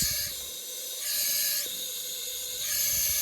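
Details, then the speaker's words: Chinese wastegate on a pressure bench test gives a steady high airy hiss that swells and eases as pressure changes; air leaks through the stem even near 20 psi before it opens; wastegate judged bad. "So as you can tell, it's leaking through the stem, leaking through this piece, thus coming out here."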